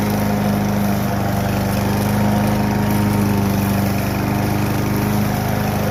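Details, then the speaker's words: Kohler Courage XT-7 engine freshly swapped onto push mower deck, first start after swap: single-cylinder mower holds constant, even drone with steady low hum, no misses or rattles; running cleanly. "she runs pretty good if i do say so myself"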